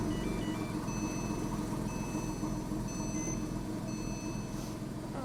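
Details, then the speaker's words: Porsche 911 (997S) after replacing the serpentine belt, tensioner and lever and repairing threads: quiet, smooth idle with an even low beat, no knocks, squeals or belt chirp. Normal, healthy idle with minimal belt deflection. "Well, so far so good. It sounds very healthy. Sounds good. I don't hear any abnormal noises."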